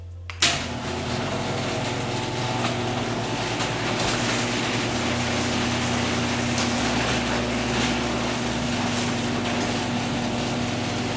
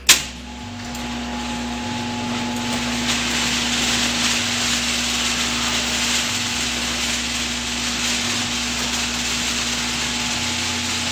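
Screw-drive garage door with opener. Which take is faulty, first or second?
second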